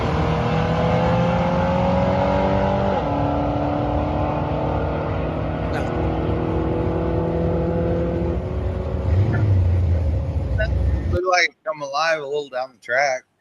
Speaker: If you can hear the audio, like if you listen to it, it clears up and it even sounds different. Like yeah, it's just not happy right off the get go.